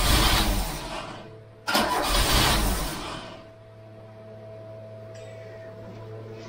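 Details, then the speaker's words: Freshly installed Pinto engine in a MK3 Cortina, first start attempt, battery 12.6 V, lots of petrol put in; two cranking bursts over a second each, never runs on its own; crank no start, owner suspects flooding. "we just need to get the car to start initially we're not starting it could be flooded because I've been fit because I've been fitting that chunk"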